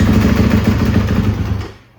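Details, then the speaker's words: Kawasaki KX250 single-cylinder with a brand new battery, starting on its own power without a jump, cold: barks into life on the starter, runs rough and uneven a second, then dies from cold; battery cranks fine, starting normal. "well, it didn't run for long cuz it's cold, but as you saw, it starts up. It has enough power obviously to crank over"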